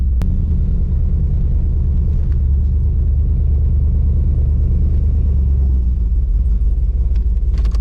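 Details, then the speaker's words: Trans Am with an LQ4 408 stroker, stage 3 turbo cam and P0200 code, with the driver-side injectors not firing and the engine dying off throttle: heavy, uneven, loping idle as several cylinders miss. Injector harness or ground issue suspected. Rough idle misfire. "yeah it is not enjoying life i think it may be more of that injector issue or ground issue"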